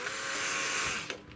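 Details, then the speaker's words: Model railway loco yard turntable on Tri-ang Super 4 layout, run from a controller, lubricated, Hornby Dublo Class 20 aboard: steady high-pitched mechanical buzz stopping abruptly with a click; normal turntable drive noise. "so around we go now i don't think it'll get much quieter than this it's all been lubricated and i think it's just the way they worked but interesting noises again"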